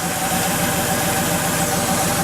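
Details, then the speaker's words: Porsche 911 3.2 Carrera, idle about 200 rpm high: unplugging the cylinder 4 injector leaves idle unchanged, so the dead cylinder followed that injector; faulty injector. "double check this again with cylinder number five yeah see it dropped put it back on and it comes back up all right holy cow well i really didn't expect that but it did it followed that means that that injector is not happy"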